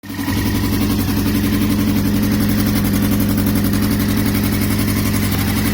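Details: 2002 Yamaha R6 (YZF-R6) four-cylinder, 28,000 miles, idling with an uneven, lumpy beat, a stumble roughly twice a second; engine/ignition misfire, cause unknown.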